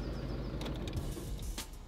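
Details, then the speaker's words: VW Golf Mk6 engine rumble breaking into a loose rattle for about half a second as the engine switches off, sign of a failing dual mass flywheel. "can hear like how it rattles like for like probably 0.5 seconds until he actually turns off the engine"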